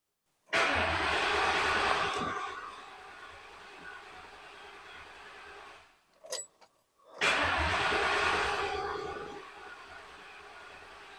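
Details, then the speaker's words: Police car with 45,000 miles rescued from junkyard, old gas drained and fuel pump heard priming: two long cranking bursts of steady starter churning with no catch; cranks but won't start. "Ain't sounding too promising. So it kept spinning. I kept just doing the pump, trying to get it to start, and it wasn't"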